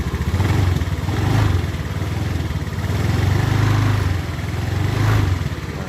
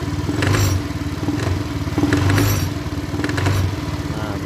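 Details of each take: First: Honda Beat ESP scooter CVT after repair (bearing replaced, groove and ring added to stop the bearing spinning, gear oil refilled): smooth drone with throttle blips and no more crackling rattle; transmission fine. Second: Honda Beat ESP scooter CVT: idle smooth but crackly rattling bursts on light throttle when pulling away, fading after about 30 km of riding; worn pulley or bearing suspected.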